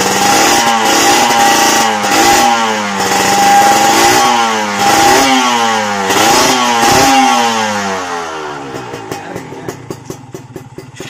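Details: Kawasaki Ninja two-stroke after repairing shorted, burnt wiring that caused power loss, hard starting and dead electrics: crisp revs rising and dropping cleanly several times with no bog; sounds healthy.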